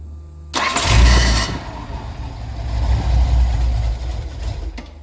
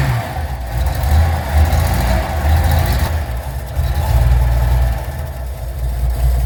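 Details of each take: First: 1981 Datsun 280ZX parked nine years, new battery, fresh fuel: cranks, catches and runs rough at low idle only while key is held in start; fuel pump runs in start but not on position, owner suspects faulty ignition switch/cylinder. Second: 1981 Datsun 280ZX revived after nine years parked, new battery, fresh fuel and oil, still needing a tune-up: steady idle, revs rise and fall smoothly, no knocks or misfires; running acceptably, actually not bad.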